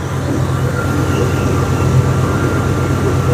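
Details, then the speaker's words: Chevy truck running: smooth, steady drone with no belt squeal or chirp, so the squeak is gone. The alternator showed no output, which turned out to be a broken plug wire rather than a bad alternator. "Well, it's not squeaking anymore."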